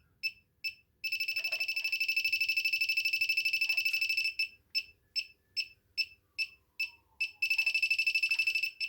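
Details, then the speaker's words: Cheap Chinese electronic refrigerant leak detector used on a car AC system: sharp chirps start slow, then speed into a continuous trill as the probe detects refrigerant gas. The owner says it is imprecise and may give false leak indications. "Se pornește senzorul și se aude un semnal. Iar atunci în vârful când detectează freonul, semnalul începe să fie din ce în ce mai ascuțit."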